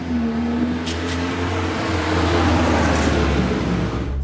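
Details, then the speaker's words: 1971 MG Midget four-cylinder after repair: it had run horribly and misfired from a faulty ignition coil. With a new coil fitted it runs with a steady, even note and picks up cleanly, firing smoothly on all cylinders. "i'd uh ignored the spark and that turned out to be the problem and now it's running beautifully"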